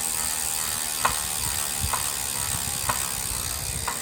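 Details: Saris H3 trainer: steady whir with a sharp knock about once a second, tracking the flywheel's turn, from something loose or damaged inside; the manufacturer repaired it under return.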